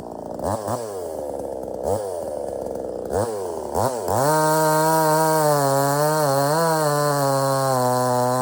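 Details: Budget Temu chainsaw shortening a log, possibly rotted in the middle: a few throttle blips, then strong steady high revs with slight dips through the cut; cuts easily, starts easy and runs strong, normal.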